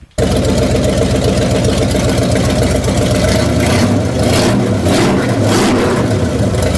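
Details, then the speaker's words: 1966 Chevrolet C10 V8 being fired up to set ignition timing (distributor loose, target about 14° initial at 750): hard-running rough, busy clatter under exhaust roar; abnormal noise, owner unsure, thinks one cylinder. "something does not sound happy and I am not sure what it is"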